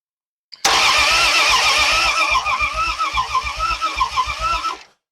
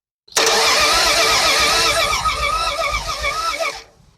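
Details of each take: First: Old project car being revived after 40 years, cranking on the starter with cleaned, anti-seized plugs and no coil connected: steady cranking at about 3.5 beats per second. Compression sounds even, including the previously suspect number three cylinder. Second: Engine sitting 40 years, coil just hooked up, points not cleaned, carburetor likely dry; about three and a half seconds of uneven starter churning with no firing pulses, then silence; cranks but no spark, won't start.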